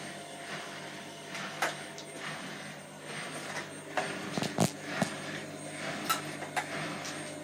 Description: This has bin happening for a few days now￼ when spinning on 30 min cycle it seems to make a bit of a squeaking noise